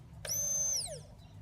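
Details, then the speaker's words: 2007 Ducati Monster 695 with a no-start and no fuel pump prime, pump motor wired directly to the battery: a thin high whine spins up, holds about half a second, then winds down; the motor primes fine and the fault is a short in the pump assembly wiring; normal priming. "check the motor as well that actually powers on when I run battery directly to it by wired directly you get priming"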